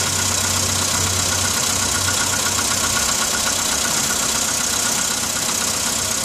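Steady cold idle with a fast, fairly even tapping riding over the engine, about four a second; a knock whose cause is unknown.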